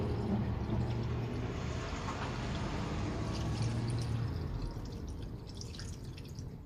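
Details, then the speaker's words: 2008 Honda Element EX coolant drain and fill: irregular soft gurgles and drips fading toward the end as trapped air bubbles clear during a slow fill of blue coolant; normal. "Yeah, you can hear it starting to make its way through. You hear all the air bubbles coming out."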